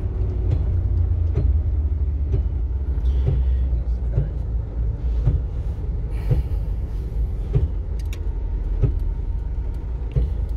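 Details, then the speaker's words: Ford Ranger 3.0 Power Stroke diesel, 175,000 km, driving with four-wheel drive engaged: heavy low rumble with irregular knocks roughly every second, worse with 4x4 on; customer suspected the gearbox, but the source lay elsewhere. "mínimo assustador esse barulho, não é mesmo?"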